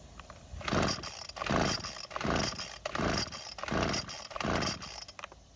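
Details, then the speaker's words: Neglected Craftsman string trimmer, purge bulb filling and carb choked: about six rasping rope pulls, roughly one a second, never firing; no start traced to a hardened carburetor metering diaphragm. "So, unfortunately, it didn't even try and start, but the instructions don't say what to do when this happens."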